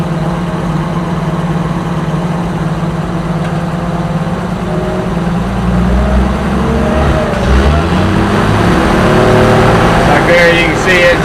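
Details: Oliver 525 tractor, owner suspects sticky governor flyweights: the engine settles, then its note slowly climbs and keeps rising on its own, revs creeping past the set speed; governor rebuild planned.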